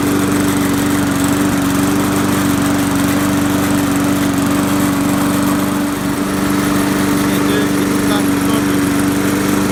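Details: Trash-picked Poulan Pro mower, hydrolocked from overfilled oil, first run after the fix; steady, even drone at constant speed with no misses, knocks or surging, still smoking a little from residual oil; normal running.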